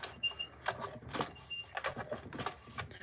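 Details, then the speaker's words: Modified Stihl 440 chainsaw, flooded: thin high squeaks over scraping starter cord pulls; rewind spring suspected dirty or rusty, lubricate with WD40. "if the rewind spring is good you'll hear a little squeaking noise um you can just hit it with some WD40"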